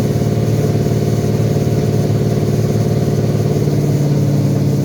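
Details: Toyota 2UZ non-VVT V8, test run on a new custom harness with the ECU flashed for manual transmission and a performance tune: strong, even brisk idle with a steady beat, no knocks, misses or stumbles; healthy.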